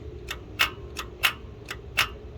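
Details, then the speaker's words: 2007 Buick Lucerne linear electronic EGR valve, engine off, driver wires jumped and powered by jump pack: crisp sharp clicks about twice a second, alternating louder and softer, solenoid actuating normally. "um if you listen I'm going to turn the jump pack on and yeah you can actually hear the solenoid um actuating as such"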